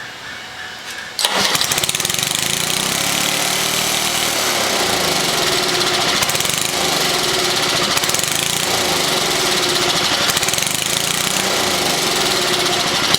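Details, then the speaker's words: 1979 Toro 524 snow thrower small engine, restart: catches on the pull and runs flat out at steady high speed, never settling to idle; owner thinks the throttle was reset too high when disassembled. Engine racing from throttle stuck open. "No. At this point, I'd say the throttle, when I took things apart, something happened with the throttle that got it reset to be a little on the high side."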